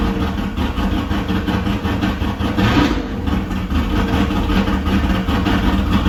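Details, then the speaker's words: LS-swapped El Camino with a Texas Speed cam at first start, not yet tuned: deep V8 idle loping unevenly with a choppy, hunting rhythm. It idles rough and dumps a lot of fuel because it still needs a tune. "It's not idling good because it need a tune in it, but it run, baby. It run. I ain't gonna let it run too long. because it's dumping a lot of fuel by it not being tuned."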